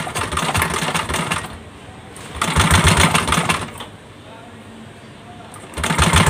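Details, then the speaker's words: Yamaha Aerox 155 scooter with modified, non-stock engine that would not start despite new ECU and wiring; once started, loud fast clattering knock in short bursts as it catches and dies; serious internal damage, engine likely seized. "แต่ว่าเครื่องมันดังนะครับผมพอเครื่องมันดังเสร็จเนี่ยมันก็จะไปต่อไม่ได้เลยนะครับ"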